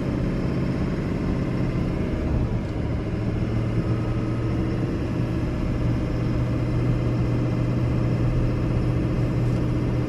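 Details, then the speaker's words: 2005 Chevrolet Silverado 2500HD 4x4, 6.6 Duramax diesel, 20,000 miles, pulling uphill: a deep, steady diesel drone as the automatic moves effortlessly from gear to gear with no flare, slip or hesitation. Normal shifting. "and here has just effortlessly one gear to the next just smoother duramax diesel very smooth operating smooth driving truck"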